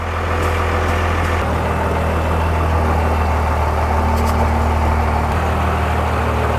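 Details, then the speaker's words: Cummins-swapped Ford truck after transmission band readjustment, injectors bled and new case-mounted floor shifter; steady diesel idle takes a slightly heavier note as gear engages, no clunk or slip, shifts much nicer; normal automatic transmission engagement. "Shifted nice there though, It eh? does shift way nicer. Oh, listen to that purring."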